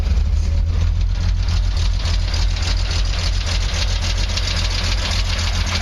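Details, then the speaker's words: 1968 Triumph TR250, started after sitting all winter outside under cover on very old gas: low idle rumble with an uneven beat, stumbling three or four times a second; slight misfire at idle, still runs; about 50 psi warm oil pressure. "But it still runs. Misses a little bit, but not bad."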